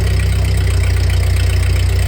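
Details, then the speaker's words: 1948 Ford 8N tractor engine after a full rebuild, idling in neutral as the clutch is let go during a PTO check; new carburetor still needs adjustment: low, even, steady thump with no knocks or misses. Normal idle. "So there you have it. Tractor runs, and it sounds pretty good after a full rebuild."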